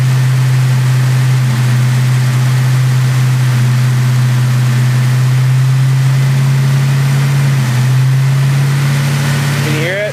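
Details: Mustang petrol engine idling with an uneven, stumbling beat; misfire whose cause the owner cannot find.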